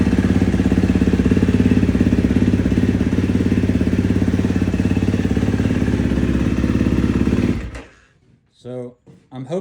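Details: 2016 KTM 350 SX-F four-stroke after top-end rebuild, running after a worn, slipping starter torque limiter gear was replaced to fix crank/no start: single cylinder thumps along steady and even for several seconds, then shuts off cleanly; sounds healthy.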